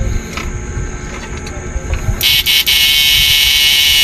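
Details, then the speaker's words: Old-model 99900 W inverter under repair after a faulty resistor was found, with only its power (lakasan) control connected: a piercing high tone wavers unevenly instead of holding steady, unstable output blamed on a faulty power control. "nagpapabago-bago tunog. Sira yung lakasan."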